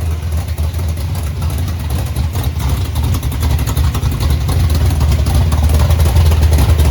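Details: Chevy Nova V8 just after both carburetors were rebuilt (one found full of trash) and refitted; low, throaty idle building gently in revs, firing evenly with no stumbling, running again.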